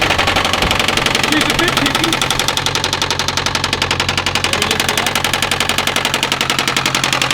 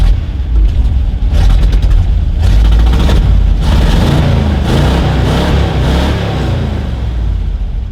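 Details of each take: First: A sharp, even knock, about three to four per second, rides on top of the running engine. It is identified as a bad rod bearing. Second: Shop vehicle started after a long layup. Deep, even engine rumble with free revs rising and settling, no knocks or misses. Good oil pressure, it is charging, and throttle response is quick, though the carburetor is still a little sticky; running normally.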